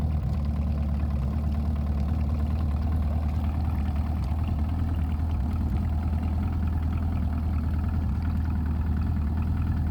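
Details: Evinrude E-TEC outboard idling with a low, uneven beat that throbs and stumbles without settling into a steady rhythm; rough idle.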